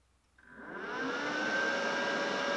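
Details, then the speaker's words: Sherman DigiMig 215 DualPulse welder while selecting welding modes: soft whoosh swells into steady airy hum with faint whine; cooling fan kicks on normally. "welding, well, as you can hear, the fan's kicking on also."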